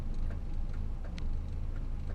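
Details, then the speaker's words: 1962 Morris Minor with newly wired flashing spotlights, switched by a button inside the car: light, regular relay ticking a few times per second over a faint engine rumble; flasher relay cycling normally. "You can hear the little relay clicking. Can't really see the lights because it's got so bright now."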